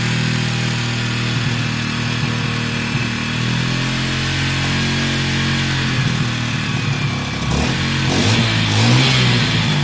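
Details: WK RT 125 single, improved running, choke on: even, quick beat at a high choke idle with a short rev near the end, no knocks or rattles; quiet and smooth, running normally.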